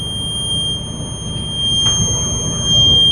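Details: School bus diesel at high idle during the brake check: a steady high-pitched buzz holds while air builds toward 120–140 psi cutoff. The low-pressure warning is working as it should.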